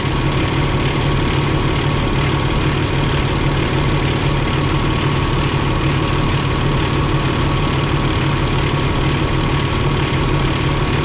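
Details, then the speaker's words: Truck with a Gen 3 Eaton UltraShift transmission, diesel idling while building air during a clutch reset: a steady low drone and constant hum from the air compressor loading, stopping when the compressor cuts out; the compressor bearing was checked and is fine. "Noise you hear there is that air compressor. As soon as that compressor cuts out, it'll quit making that noise."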